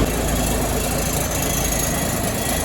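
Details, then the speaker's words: 1973 Ward LaFrance fire truck with Cummins turbo diesel and Allison PowerShift, long on the battery charger, coolant leaks repaired: cold start settles straight into a steady, even low rumble with no knocks or misses, healthy. "gonna do is we're gonna fire it up we're gonna let it run it's been sitting on the battery charger for quite some time now"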